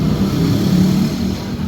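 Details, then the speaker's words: Honda Scoopy FI scooter after fixing final drive whine (full gear-ratio set and loose pulley axle bearings replaced, gear oil refilled): a low, steady drone with even pulse and no whine; normal running. "It's done, and all that's left is to test the results. Okay, it's running smoothly."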